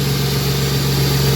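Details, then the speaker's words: Ford Mustang 40th Edition with a brand-new alternator: even, steady idle with a smooth low burble and no stumble, skip or misfire. Normal idle. "no real misfire at all or anything that runs pretty smooth man they took care of it"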